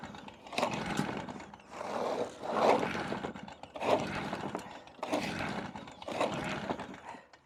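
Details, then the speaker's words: Stihl BR380 backpack blower, about 14 years old, hard to start for years and pulled for about an hour; rising cord-pull surges about once a second that never catch. Owner suspects a piston or compression problem and scraps it. "Try a little bit longer, but she might be done. This might be the end of this. I don't know what's going on. We've always had trouble with it."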